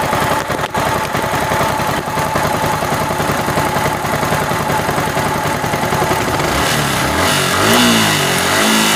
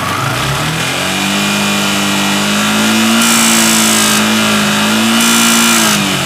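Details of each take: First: Yamaha R15 V3 BS6 motorcycle engine: steady quick firing pulse at idle, then a clean rise in revs without ticking or clatter; sounds even and healthy. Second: Yamaha R15 V3 BS6 revved and held high: a light, fast ticking rides over the exhaust note, from excessive valve clearance.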